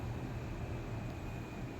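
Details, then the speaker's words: Washing machine after repair, final spin/dry near end of 15-minute cycle (2 minutes left); previously errored at 14 minutes, now no error: steady even whirring hum, no knocking or scraping; normal spin cycle. "Ayan oh, nagda-dryer na siya. Hindi na siya nagge-error."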